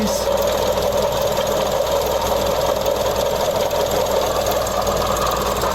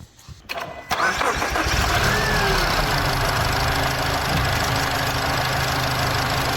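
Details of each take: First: Mazda CX-30 engine running, listening at the belt tensioner pulley: a noise heard since starting that keeps getting louder, a constant gritty, crispy whir. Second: Mazda CX-30 with a worn, micro-cracked drive belt (tensioner suspected for cranking noise): starts and settles into smooth, even idle with no squeal, chirp or rattle; all noise gone. Water pump later found rattling when spun.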